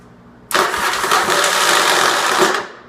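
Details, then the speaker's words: Virago motorcycle on the starter button: harsh clanking and grinding for two seconds without a proper start, as the starter drive slips and fails to engage. Starter drive (bendix) failure. "sure you guys can hear the clanking the grinding of the nasty bad noises that's your typical virago for some reason they had starters and I'm just the bendix and all the stuff doesn't work very well"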